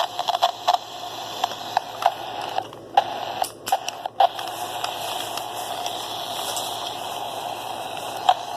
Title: This walkie talkie is making a weird noise